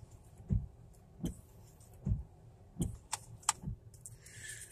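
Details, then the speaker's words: 1998 Oldsmobile Cutlass wipers after cleaning dirt off the Duralast blades and applying WD-40. They sweep quietly with only a soft low thump at each turnaround, and no squeak, chatter or jumping. "that no more jumping up and down and all that I got all the dirt off the wiper blades and this this will prolong your wiper blades"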